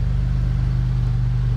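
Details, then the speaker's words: Pontiac GTP on lift at idle, blown muffler with a huge hole causing an exhaust leak: deep, loud, throaty rumble with raw unmuffled pulses; owner wants it quiet and is fitting two new mufflers. "So I'm going to start this thing up so you can hear what it sounds like. But it has an exhaust leak. The muffler blew out in it, so... and I don't like it."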